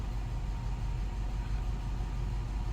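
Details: 1998 Cadillac Eldorado after an alternator replacement: a smooth, deep, steady rumble with no rattle, squeal or misfire. Healthy petrol engine idling evenly.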